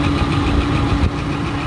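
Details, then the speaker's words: Kitchen AC unit after a blown line 2 fuse, running at correct voltage, not single phasing: steady whirring drone with rough gravelly rumble, indoor blower motor going bad, bearing suspected; repair to be quoted. "it sounds like junk it sounds like it could be the motor and the bearing inside the blower"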